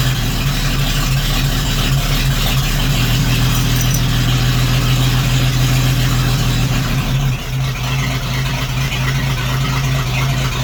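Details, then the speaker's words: 1941 GMC one-ton pickup, 230ci straight six, first start after sitting 15–20 years, fuel line purged to carburetor, no choke: steady, even idle sitting a bit fast, no knocks or misses; normal idle. "it's alive [Music] so [Music] how cool is that 41 gmc kelly hasn't run for 15 or 20 years at least hasn't been on the road in a lot longer than that"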